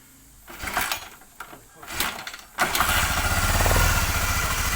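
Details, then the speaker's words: Honda CBR single-cylinder motorcycle after an engine teardown and piston replacement for smoking and knocking from the cylinder head, oil flow confirmed: a few cranks, then a steady, smooth idle with no head clatter and no smoke; normal idle. "Jadi ini sudah halus ya."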